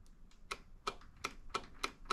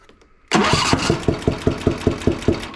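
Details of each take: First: John Deere Z335E zero-turn mower, Briggs & Stratton 20HP V-twin that bogs and loses power: sharp, distinct clicks as the key is switched on and off, the fuel shutoff solenoid on the bottom working properly. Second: John Deere Z335E zero-turn with Briggs & Stratton 20HP V-twin, thermostat-controlled choke, bogging and losing power under load, popping from the left side: fires up into a lumpy thumping lope, running on one cylinder, sounding different than when it arrived.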